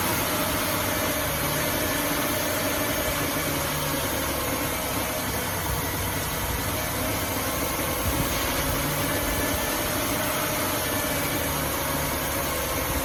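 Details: 2005 Ford Taurus just after replacing the idle air control valve, about 70°F outside; idle mostly steady but low drone swells and dips every few seconds, slight hunting; owner thinks the new part needs time to register with the computer.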